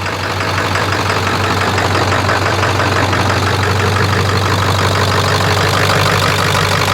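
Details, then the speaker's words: Ford Excursion with 7.3 Powerstroke diesel, ~500 hp build (Full Force hybrid injectors, dual fuel pumps, KC turbo, S&B intake), freshly reassembled, on a Jelly Built tune: deep, even idle with steady low drone, no knocks or misses, "purring like a kitten"; normal idle. "Purring like a kitten. Well, Sounds good."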